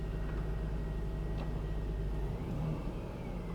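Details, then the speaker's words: Mercedes C300 at 267,000 miles, after cleaning and re-gapping spark plugs for a cylinder 3 and 5 misfire: low even idle rumble with no missed beats; check engine light out, idling smoothly. "See, sometimes the check engine light, okay, check engine light's out. Just running smooth as can be."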